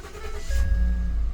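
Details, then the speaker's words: 2013 Ford F150 with intermittent crank/no-start, after relocating the fuel pump fuse to slot 70: fuel pump whir, quick crank, engine catches at once and settles into steady low rumble; starting cleanly. "And bam, there you have it. So if you're having a no crank, no start issue, this one was doing it sporadically."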